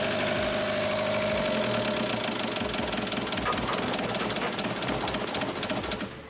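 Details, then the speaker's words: Willys Wagon body on Jeep Wrangler frame with Volkswagen TDI diesel swap, first start: ragged, uneven diesel clatter with knocks about four a second and a lumpy rhythm; runs rough because injection timing is off, to be re-timed. "got it running it runs rough I think maybe kept adjust the timing"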